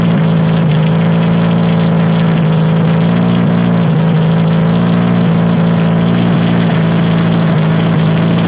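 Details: Toyota Hilux engine driving a homemade air compressor by belt pulley, geared to run at idle, first test run after new engine mount: even, steady low-pitched drone with no knocking; runs smoothly and healthy.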